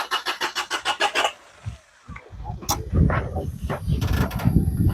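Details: Amigo off-road project: even starter cranking at about 200 beats a minute for over a second with no catch, then stops and keeps failing; spark present, pressure heard building; cause not confirmed.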